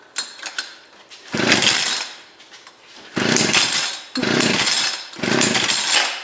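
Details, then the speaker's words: Two-stroke ice auger engine after carburetor reassembly, trying choke positions: ragged bursts about a second apart, sagging and nearly dying between; flooded and running rough. "It is flooded, so I am going to leave it for now."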